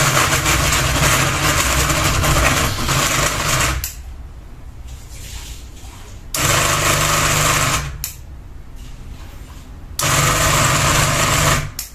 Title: Ceiling Fan Noise 1 Blade Wobble with Ball Hanging | Kipas Angin Gantung 1 Baling-baling